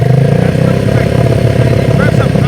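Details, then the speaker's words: Yamaha Breeze 125 quad, first run in 5 years after carb cleaning: single cylinder runs fast, idle too high; owner lowering idle screw, suspects idle screw. "I'm gonna try and lower down the idle a little bit more."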